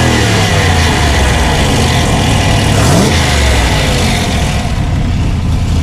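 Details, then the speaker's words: Factory Five Type 65 Coupe, 302 small-block Ford after swap to AFR 185 heads: revs up cleanly and settles back with strong, even exhaust note, no misfire or knock; running healthy. "so that's it the thing is running we're going to go out and test drive it"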